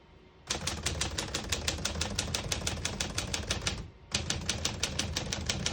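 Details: Serviced 1950 Smith-Corona Silent portable typewriter, margins just set: crisp, even keystrokes about three a second, a short pause, then steady typing resumes; working normally.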